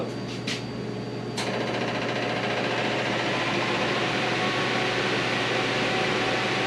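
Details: VW 2276cc air-cooled flat-four in a buggy after new pushrod tubes, sand seal and CV boots: a few brief clicks, then smooth, even idle with steady beat, no knocking or misses; healthy idle.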